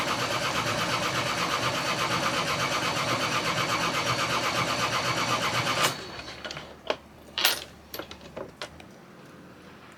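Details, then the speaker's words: Sailboat diesel engine cranking steadily at about two beats a second, almost catching with a roar but never firing; cranks but won't start, checked before launch. "not starting yet it almost got going so come on almost did you hear that Roar like it was roaring"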